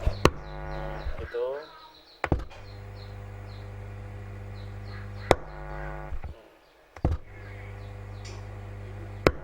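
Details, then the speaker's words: Power amplifier with a faulty grounding system: a steady low mains hum drones from the speaker, louder with bass maximised and when the AC plug is reversed, broken by loud clicks. "Hai Dan ini juga ada suara dengung nya lumayan ketika bassnya kita vulcan kita maksimalkan"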